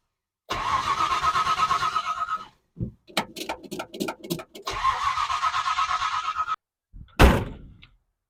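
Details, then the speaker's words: 1970 Ford Falcon 5.0 small-block after carb clean, gas squirted down the throat: fires and runs a couple of seconds, falls silent, catches again, then dies; carb isn't holding fuel, owner suspects a reassembly mistake. "I wasn't getting fueled through I'm not getting dark when we turn it around so I'm just burning up Fuel and it's not uh holding gas so something I messed up on the carb"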